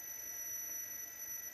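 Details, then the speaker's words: 1980s National Panasonic NV-430 VHS recorder, first play after years in an attic: thin, steady, piercing high squeal from the tape transport while playing; cause not yet found, belt looked tight. "Oh, yeah, wow. Ooh, screeching like..."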